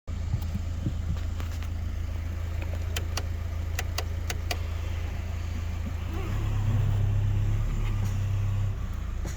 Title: I cant figure out where this clicking noise is coming from in my suspension. Help!?!?